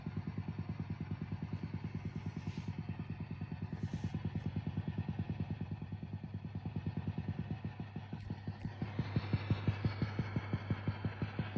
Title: Fender DRRi 65Vibrato Channel Ticking noise